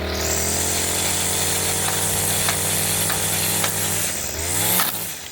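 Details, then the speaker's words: String trimmer after cleaning dirt out of the head: it holds a steady high buzz with light ticks, then a short dip as the tapped line pays out and is cut. Bump-feed line advance working. "I'll tap it. We'll see if it'll come out. There it was. You can hear it come out and then cut the string off."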